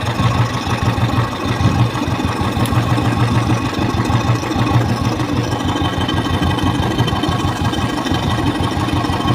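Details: 2013 Royal Enfield 350 cc single-cylinder idling with a light metallic ticking on each beat from the rocker, easing off as rocker clearance is adjusted with seat and tank removed. Valve (rocker) tapping from excess clearance.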